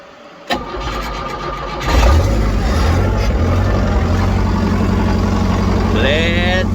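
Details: John Deere 70 skid steer in cold, windy weather, after ignition rewiring to a toggle switch and starter button and fitting used rams: cranks briefly, catches and settles into a steady even idle; no leaks, healthy start.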